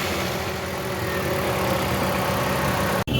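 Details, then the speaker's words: 2017 Toyota Corolla that broke down on the road, running after start: rough, uneven, stumbling idle with engine vibration instead of a smooth hum; misfire traced to a shorted, faulty ignition coil, before coil replacement. "Side से जो अभी करेगी वह short होती है और वो कोयल नहीं चाहिए तो उनसे भी पता चला है और वाइब्रेशन है इंजन भी करता है"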